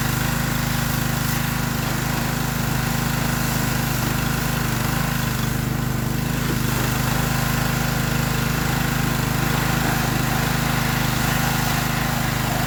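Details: Free Troy-Bilt pressure washer, small single-cylinder engine: steady, even drone at fast idle with no misses, knocks or surging; normal running.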